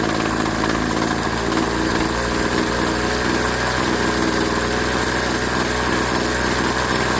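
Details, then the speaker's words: Craftsman 21cc Bushwacker two-stroke hedge trimmer after sitting nearly a year, blade disengaged: even buzzing at idle and full throttle without surging or cutting out; running solid, carburetor low/high screws left untouched. "And in this case, it's actually running solid. I mean, it's running really well."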